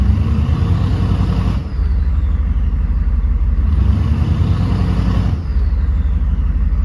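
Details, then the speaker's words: 1995 Chevy K1500 6.5 turbo diesel, revved twice, heard from the tailpipe: deep exhaust rising and falling with throttle and faint turbo whine now audible; turbo spooling normally. "You can barely hear the whine of the turbo. I'm not sure if it's picking it up on camera, but see if I can make it sound that way for you guys."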